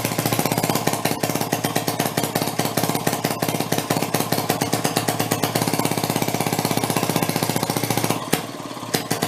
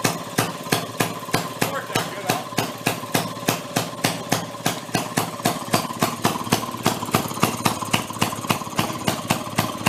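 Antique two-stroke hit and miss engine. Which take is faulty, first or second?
first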